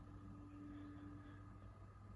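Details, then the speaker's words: PS5 running Mafia 2 Definitive Edition after the game has loaded, paused early in play: soft, steady low hum with faint constant whir, no rattles or surging; console quieter than at spin-up, running normally. "but yeah when the game is sort of just playing um this is what it sounds like so it certainly does quite quiet itself down a bit"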